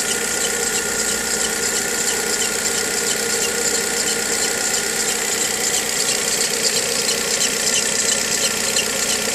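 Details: VW Gol G6 2013/14, cold morning start: steady high chirping whine over a fast idle with light rhythmic ticking; dealer first blamed a too-hard alternator belt, but the fault was the timing belt, replaced under warranty.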